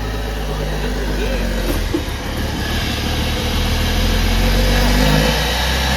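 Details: 2001 Porsche Boxster 986 after fuel pump replacement, fuel pressure restored: engine catches and settles into a steady, even idle with a smooth low drone, no misses or knocks; healthy start and idle.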